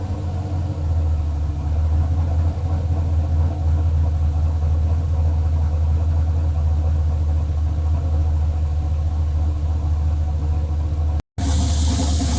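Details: Chevelle LS turbo build on Holley Terminator X, first start-up in closed loop pulling 31% fuel: deep, loud, uneven lumpy idle; rough idle that needs further tuning.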